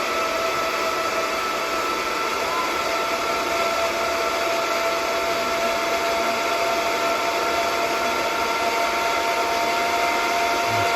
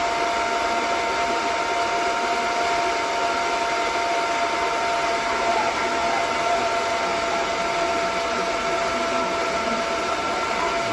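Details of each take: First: DB Werx amplifier fan on adjustable DROK buck step-down regulator, output voltage being increased from 8.23 V: smooth even whir, steady high tone, no ticking or rubbing; fan running normally at higher speed. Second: DB Werx amplifier fan on DROK buck regulator, constant-current limit being turned down from about 2.8 A: steady whir with thin even tones before the fan shuts off from insufficient current; fan running at reduced current.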